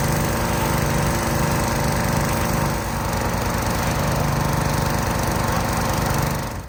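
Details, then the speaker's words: Pressure washer small engine after mechanic-in-a-bottle fuel additive, previously hesitant and weak under load last year: steady, even drone with a regular low pulse, no stumbling or surging; runs solid and smooth. "Um, I think the pressure washer will run smoother and better than it did last year"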